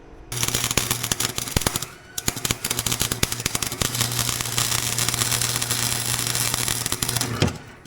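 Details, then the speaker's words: Harbor Freight welder with new Forney wire welding cleaned metal; arc crackles and stutters in uneven gunfire-like bursts over mains hum, erratic sputtering; owner suspects a grounding issue, not confirmed. "it's like there's something wrong with my ground I think that's why it's sputtering like that"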